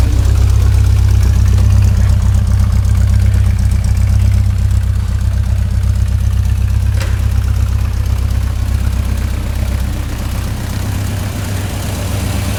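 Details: 1967 Morgan Plus 4 Drop Head Coupe, started after not running for years with oil shot into the cylinders first: deep, steady rumble, rpm easing from about 1,200 toward 800, a little rocking, no knocking; settled normal idle.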